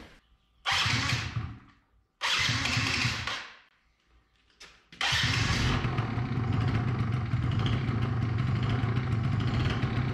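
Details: 2005 Yamaha Zuma YW50 two-stroke scooter with new replacement ignition coil after old secondary coil measured bad: a couple of short cranking bursts, then catches and settles into a steady, even buzzing idle; normal start.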